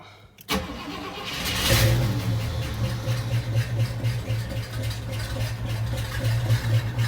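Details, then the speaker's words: Hearse after its break-in oil change, started with two pedal pumps: catches after a brief crank, runs lumpy and hunting at low idle as if starving, then stalls; owner also hears a strange sound that might be power steering. "Sounds like it kind of wants to die, and it did."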